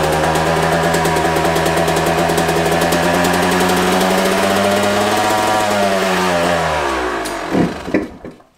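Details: Brand-new dirt bike with under an hour of riding, running after a failed spark plug was replaced (earlier thought flooded, carb overflowing): small single revs, even buzz, pitch sagging smoothly before shut-off; clean running with no misfire.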